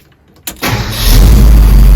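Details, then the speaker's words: 1968 Ford F250 4x4 Highboy with 390 FE V8 and Edelbrock 4-barrel carburettor, after tuning, already a little warm: quick crank, catches at once and settles into a strong, even idle; alternator bearing needs replacing. "let's see how this thing runs after a little bit of uh tinkering and tuning"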